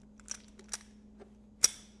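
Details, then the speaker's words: Used 1973–1989 Mercedes ignition steering lock, key turned then released: quiet key clicks, then one hard sharp snap as the lock rolls into the column; dry, unlubricated steering lock, tumbler starting to notch. "You hear that noise? Why does that have to snap just to go into the steering column? That's where it rolls into the steering column and locks your steering."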